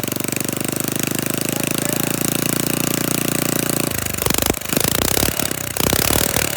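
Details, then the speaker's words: Flathead Briggs minibike engine just started, throttle held open: fast even open-pipe firing for a few seconds, then ragged uneven sputters and misses; rough running, owner suspects carburetor mixture screw, not confirmed. "bank is trying to run thank you sounds like a firing right there as far as it goes"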